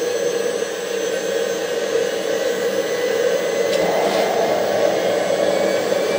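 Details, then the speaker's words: Homemade jet engine 4.0, second test run, ignited by a new ceramic glow plug: rushing steady roar with a thin whistle that never spools to self-running, because thermal expansion made the rotor/turbine hit the housing; fix planned by machining housing material on the lathe. "At least the first obvious reason why the engine didn't run after all is that the rotor/turbine has hit the housing again due to thermal expansion."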